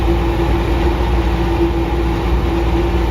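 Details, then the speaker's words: 2002 Craftsman air compressor model 919.167310, about 2,000 hours, run at about 61°F: a loud, steady, rough drone with a hum; the dried-out front motor bearing has failed catastrophically and is grinding. "sounds like my compressor is ready to grenade that ain't a good thing"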